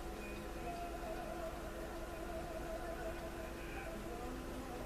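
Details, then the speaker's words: Motorola 56CC2 tube clock radio that tried to burn up, powered on: tubes get hot but only a steady low hum with faint tones, no volume or audio output; voltage way too low, cause not yet found. "So it just sits there and hums. No volume, no nothing."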